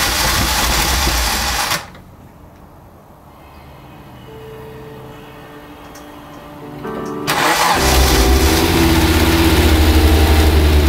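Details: Audi 200 Quattro Turbo after timing kit and some ancillaries were replaced and fresh fuel added; engine catches after a quiet gap and settles into a steady, deep, smooth run with no knocking or misses, running correctly.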